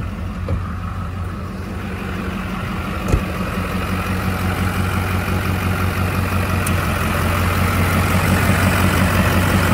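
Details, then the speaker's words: Duramax diesel with fairly fresh rebuild, after fixing typewriter tick, just cold started with glow plugs, recorded outside: smooth, even idle with steady low rumble, no ticking or tapping; quiet and healthy. "so you can see it's quiet now"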